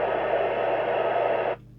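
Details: 38-year-old Cybernet Beta 2000 UK CB27/81 mobile CB radio, found in a skip and repaired after a short circuit, after alignment on channel 31: steady, even hiss with no crackle or hum until the squelch shuts it off sharply at about 1.5 seconds; healthy receiver.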